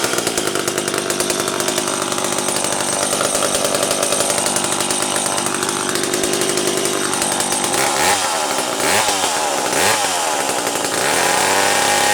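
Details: McCulloch Pro Mac 700 chainsaw after new fuel hose and fuel filter (carb not rebuilt): crisp two-stroke buzz picks up cleanly on throttle blips and settles back without stumbling; running normally.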